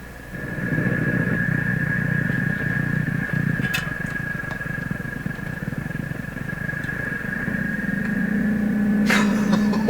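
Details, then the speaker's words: General Electric C600 tube radio during voltage tests, signal generator removed, tuned near 590: low rapid putt-putt motorboating about four beats a second over a tone, station buried underneath. Fault unconfirmed, possibly supply. "we'll take the signal generator out of the picture here's some motorboating in the radio"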